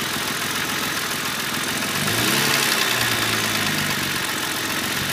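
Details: E36 M3 3.0 S50 straight-six blipped at low revs: fast, fairly even tick roughly four per second under the intake noise, seeming to come from around the inlet manifold; source unknown.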